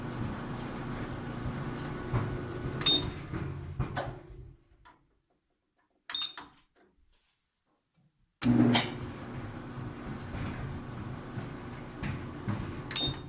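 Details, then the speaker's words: Ten-year-old GE dryer, model DCVH680GJ1MR, stopping randomly regardless of cycle or heat level; low hum drops out, then tapping the control board relay gives sharp clicks and the motor restarts: faulty motor relay. Fix: new board or re-solder relay contacts. "I tap this one it'll make it start so here's it does click start and you can hear something click and try to go look everything's clicking if I just do this"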